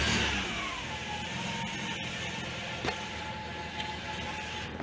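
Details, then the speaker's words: Alfa Romeo 156 2.0 JTS direct-injection petrol, about 2003, Bosch MED7.1.1 ECU after immobilizer unlock (yellow key blinking, no start before): engine catches and settles into steady, even idle, no misses or knocks; starts and runs perfectly. "Ξεκλειδωμένος ο εγκέφαλος, πήρε μπρος. Άψογο."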